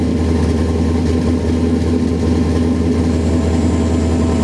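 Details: Idle after replacing spark plugs, ignition wires and coils, cleaning the MAF sensor and replacing leaking cat-back exhaust gaskets; steady, even idle with a smooth low rumble and no misses, ticks or exhaust puffing, sounds healthy.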